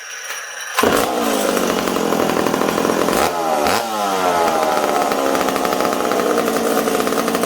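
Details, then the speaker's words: McCulloch Super Pro 70 chainsaw screaming lean with dips and surges: a small intake air leak. The intake was glued in the cold and is suspected not to have sealed, so a teardown is planned. "i thought i'd let you guys hear that this thing's got a little bit of an air leak it's not a terrible one"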